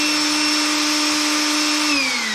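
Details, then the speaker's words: Steady high motor whine that sags as the trigger switch is pushed and wiggled, with visible sparking at the switch; arcing trigger switch contacts. "there's the switch. That's quite the little spark they got there."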